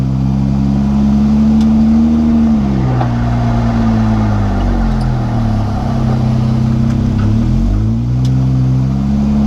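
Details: Jeep JK whine noise while driving: low droning whine rising and sagging with road speed under the engine note; seems to come from the rear differential, suspected, not confirmed.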